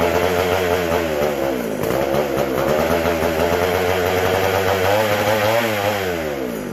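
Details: McCulloch SP125 chainsaw: buzzy two-stroke wanders and surges rather than holding speed, lean; carb not drawing fuel or pulsating, gas cap sealed off with venting in doubt; a large carb-to-intake gap was later found.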